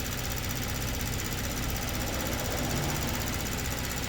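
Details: 2022 Kia Stinger, 32,000 on the clock, low power/limp mode: at idle, fast light even ticking shows the high-pressure pump working normally with rail pressure restored. It was in full shut-off mode before.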